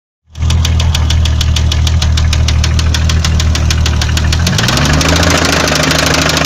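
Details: BMW 520i with M20B20 engine at rough idle; heavy, even deep metallic knock three to four per second from the bottom end, first suspected as valves; spun rod bearing No. 6 from oil starvation.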